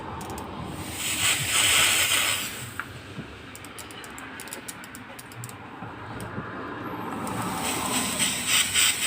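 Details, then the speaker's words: Toyota Corolla 16-valve petrol fuel injector, removed and cleaned, bench-pulsed with battery wires: sharp hissing sprays with quick clicking bursts each pulse; spray pattern correct, injector working normally after cleaning. "देखिए आगे से इसकी spray बिल्कुल सही है, fire ठीक है।"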